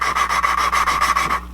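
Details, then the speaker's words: Mazda Miata cylinder head exhaust valve lapped with compound using a suction plunger: rapid gritty rasping strokes, about eight in just over a second, as fresh compound cuts valve against seat, softening as it works. "And as you do this, you can hear it soften up and feel it soften up through the plunger. So you can hear there it softens up."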